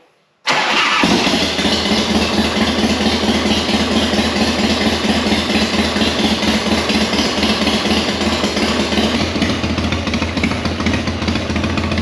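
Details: Sturgis motorcycle after a carburetor float valve leak fix, started with choke pulled and in neutral: engine catches at once and settles into a steady, even idle with no misses or knocks. Normal start-up and idle.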